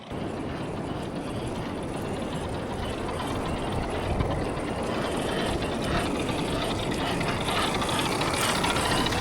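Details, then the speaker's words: Rlaarlo JK-07 1/7 4WD brushless RC crawler, new, on 3S while crawling on trail: constant gear whir with uneven ratchety clicking, three or four a second; transmission noisy, owner hopes it breaks in. "That transmission though, that's got some noise to it. Hopefully, it breaks in over time."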